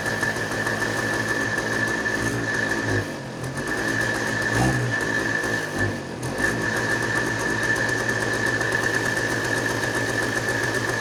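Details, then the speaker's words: Two-stroke started with ether after sitting, choke position uncertain: fast buzzy firing with uneven dips and surges; it ran okay but not good. Rough running. "Sweet. It actually ran okay. I wouldn't say good."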